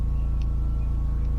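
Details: Generator (Benchmark, remote-start) running under load while a PowerMax high-amp charger, wired directly to the RV breaker panel on the 20 A breaker, pushes about 100 A into a 400Ah LiFePO₄ bank; steady low thrum with even firing pulses heard from indoors, holding speed smoothly.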